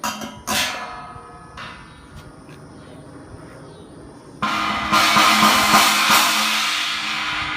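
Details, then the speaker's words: Zildjian 18" China Boy Low cymbal with a crack running across it, before repair: two strikes give a harsh, buzzy, trashy wash with a rattly edge that dies unevenly, likened to two cars getting hit. The sound is caused by the crack. "Yep, that sounds like two cars getting hit. Not good."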